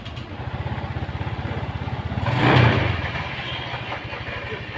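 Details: Honda Vario injection scooter that would not start with MIL code 12, after replacing blown fuse; fires and settles into even steady putter, quick rev blip drops cleanly back, idling normally.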